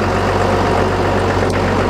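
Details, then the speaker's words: 2008 Caterpillar 930G wheel loader, turbo diesel, 6,787 hours, freshly serviced with new filters and fluids: deep steady idle with a smooth even beat, no knocks or rattles; normal idle. "we're just gonna fire it up and go ah well it's already running we're gonna go back and forth with it so you can see it working"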